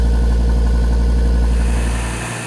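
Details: 2013 Audi TT RS (8J) on a cold start after the intake manifold flaps and port separators were reinstalled and the intake valves carbon-cleaned: a steady, deep, elevated-speed warm-up idle with no stumbles or misfire pops; normal cold-start idle.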